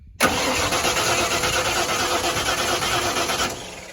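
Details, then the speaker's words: 1994 Ford F150 5.0 with intermittent crank no start: even starter whirring about three seconds with no firing; PIP signal present in LED test light, so no spark traced to a faulty ignition module. "Okay, we're blinking, so it means our PIP sensor is working inside the distributor. We have a faulty ignition module."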